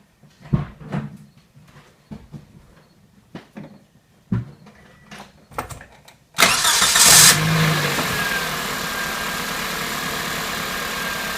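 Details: 2006 Toyota Matrix 1ZZ-FE after starter replacement: a few clicks and handling noises, then engine fires at once and settles into steady even idle; starter working normally.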